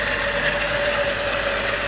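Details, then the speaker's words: 1998 VW VR6 12v petrol engine after spark plug change in cold winter: even idle, no misfires, slight timing chain noise; previously rough on cold start. "no misfires nice idle it's a successful parkour change"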